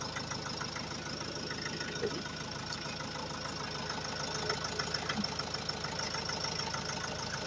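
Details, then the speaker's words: Opel Vivaro 2002 (stated as 2021 in speech) with Renault 1.9 L diesel, idling after air flow meter (débitmètre) replacement that fixed being stuck at 2000 rpm with no power; even, steady clatter, no misses or hunting, runs like clockwork: normal diesel idle. "Mais franchement, là, il tourne comme une horloge, vous l'entendez, hein. Le bon vieux moteur 1,9 litre de chez Renault, il tourne nickel."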